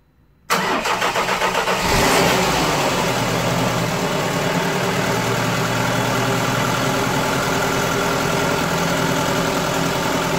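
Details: Ford Fiesta 1.3 OHV engine restarted a week after a valve clearance adjustment: short crank, catches cleanly and settles into a steady, even idle with no tapping from the valve gear; sounds healthy.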